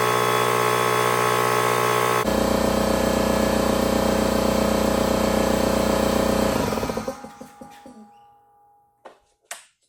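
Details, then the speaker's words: Husky 33-gallon air compressor C331H after pressure switch replacement, mic disconnected to capture room sound: steady motor drone with brisk even pump beat, cutting in as air is used, winding down smoothly; normal cycling. "so there you saw it thing is working great when the pressure"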